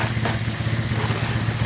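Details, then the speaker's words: Baja 90cc minibike after motor swap, started cold after sitting all day: quick, even low putter with slight vibration that smooths out as it warms, no knocks; much quieter than a similar bike, running normally. "Like I said, it hasn't been running all today. As you see, it's much quieter. Much quieter."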